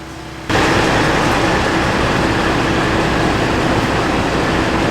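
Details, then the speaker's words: W900 truck with broken rear differential, run to isolate a noise from transmission or front rear diff: steady even drone with one constant low hum, no knock or whine; the noise is gone, pointing to the rear differential. "so the noise has gone away."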